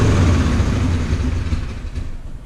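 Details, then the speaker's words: Replacement 4.7 HO V8 from a Jeep Grand Cherokee in a Dodge Ram 1500, after jumping timing: heavy, lumpy rumble with an uneven beat and a growing rattle. Owner hears a couple of dead cylinders, and the gauge shows no oil pressure despite a new sender. "still not rattling oh it's running so rough oh there's a couple dead cylinders"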